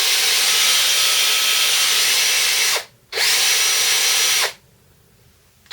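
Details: DeWalt 18V XRP cordless drill after repair for smoke and burning smell: commutator cleaned with fine file, gearbox back on. Steady high-pitched whir, faint gear hum, two clean starts and stops, no grinding; normal.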